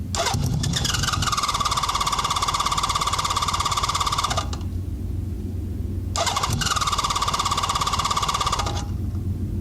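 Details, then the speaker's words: Honda CB650 with Ricks Motorsports CDI fitted, cold start, choke lever pushed by hand: two long cranking bursts with steady starter whine and regular compression beats, no firing; hard cold start, whether the ignition is the cause unconfirmed. "So let's give this thing a shot. Let's see if it starts. This is a cold start. Well, a little better than normal."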